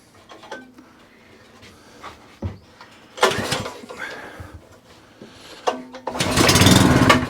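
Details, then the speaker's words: Non-running tiller rotovator engine with a new Briggs overhead-valve spark plug, pull-started on carb spray before carb strip-down: one yank, then a short ragged burst of firing that dies away; fires briefly on carb spray. "okay so it fires up so we know what a combustible engine that's cool we're happy with that"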